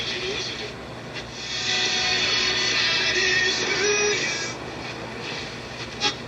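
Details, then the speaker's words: Warwick 2-55 radio chassis first power-up after electrical restoration, brought up slowly on a variac through an isolation transformer at about 0.15 A: receiver plays with clear audio, no hum or dropouts; B+ was low, weak 35Z5GT rectifier tube suspected. "I'm at about 0.15 amps in total. And you can hear the receiver now is playing."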